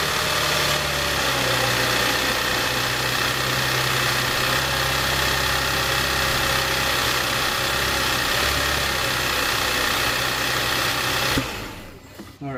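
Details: Audi A5/A6 3.2L engine just after first start following internal coolant leak repair: even, settled idle with a steady pulse of about four beats a second, no knocks or misses until shutdown; no engine lights, runs fine.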